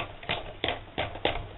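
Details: Kickped suspension sleeve pumped after fixing the noisy spring with paper and retightening it: four soft, dull knocks about three a second with no spring rattle between them.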